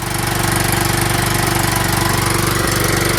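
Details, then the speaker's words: John Deere LT160 Kohler Command single-cylinder, now fed through the cleaned, regasketed mechanical fuel pump with a better-matching carburetor; even thump about four beats per second, no misses or hunting; normal running after repair. "so it appears that I finally got it going on mechanical fuel pump carburetor put on there just wasn't matching perfectly the one that I found I put on there Sni the fuel solenoid now it runs pretty well"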